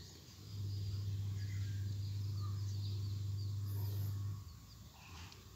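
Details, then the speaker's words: SAP single-door refrigerator not cooling, overload and PTC covers off; compressor hums about four seconds, current near 8.7 A then 0 as overload trips, suspected locked compressor. "Ternyata hidup sebentar ya hampirnya tinggi 8,7 kemudian 0 berarti kompresor mati mati dikarenakan over-nya memutus pantas kata yang bunyi bunyi kata yang punya kulkas bunyi ctik itu menandakan overload-nya memutus ya"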